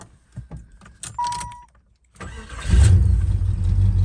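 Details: 1991 Jeep Grand Wagoneer V8, back on the road after a fuel-system fault and a lot of maintenance: keys jingle, a chime sounds, a brief crank, then a strong, steady idle. Normal start and idle; a minor exhaust manifold leak is noted.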